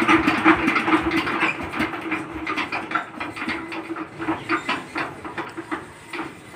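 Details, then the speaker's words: 20 hp diesel engine (power tiller type) before valve tappet clearance adjustment: uneven thumping about 150 per minute with a knock and occasional stumble; loose tappet clearance knocking with slight misfire. "আপনারা এই সাউন্ডটা তো শুনলেন ইঞ্জিনটার sound একটু problem আছে মানে একটা ধাক্কা মারছে অরিজিনালি মিসফায়ার আসছে একটা ছোট আর একটা সাউন্ড একটা অন্যরকম আসছে"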